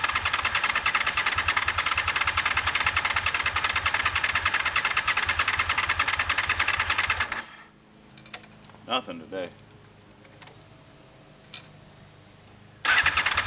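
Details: 2001 Honda VFR Interceptor (Gen 5), barn-stored nearly a decade, after a night sitting; starter spins evenly and briskly about seven seconds but never fires; previously ran on few cylinders; owner suspects clogged injectors, tank and airbox removed next.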